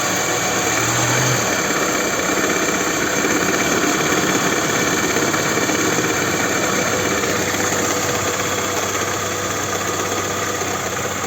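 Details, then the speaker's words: Toyota Camry XV30 with 2.4 2AZ-FE, cold morning start, owner reports a knock only when cold: faint, fairly regular knock about three a second from low in the engine; mechanic suspects the balance shaft, plus a brief VVT-i intake rattle at first start. "видимо балансировочный вал тоже стучит да ребята снизу звучит баран срочный вал в двигателе особо серьезных проблем нет"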